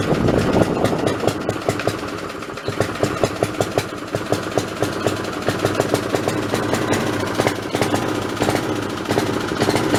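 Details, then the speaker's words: Snapper 3081 riding mower that died suddenly mid-mow, fitted with a known-good plug from a snowblower: uneven putter with sharp pops, misfiring and backfiring. Owner suspects the coil/magneto is failing. Rough running. "well that don't sound that good uh that sounds to me like that I took that spark plug out of my snowblower and it was running fine tonight last time I ran that so I'm gonna say that probably that coil is going bad that magnetron unit's bad"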